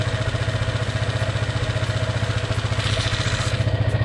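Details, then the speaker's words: Honda ADV 150 scooter just after installing a prototype DCR camshaft, valves deliberately set a little loose: steady idle with a light even tick on every firing pulse, about four a second; valve tick from loose valve clearance. "the valves are little i did them a little bit on the loose side"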